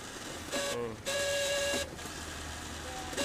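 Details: IR-type photocopier (IR5000) document feeder (ADF) running in loud bursts with a harsh, high-pitched squealing whine over mechanical rattle; noisy, heavy ADF, cause suspected, not confirmed.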